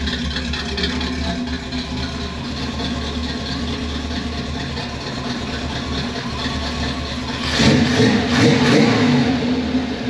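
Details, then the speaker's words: 1978 Pontiac Formula Firebird 350 V8, after swapping the Holley for a 600 CFM Edelbrock carburetor, in the shop: even steady idle with crisp rev blip, snappy throttle, good exhaust condensation. Normal healthy idle. "so Snappy lots of really good condensation which we weren't hardly having before and that just tells you you know condensation is a sign of a healthy motor"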